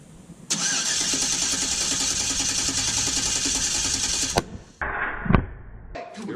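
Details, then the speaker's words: LS-swapped squarebody service truck, cold start with new exhaust and O2 sensors installed, before remote tune: quick crank then strong even V8 burble at high cold idle, no misses or ticks; healthy. "oh speaking of which I realized that I never gave you guys a cold start with a new exhaust on there so the O2 sensor are in now so we'll go ahead and do that cold start for you"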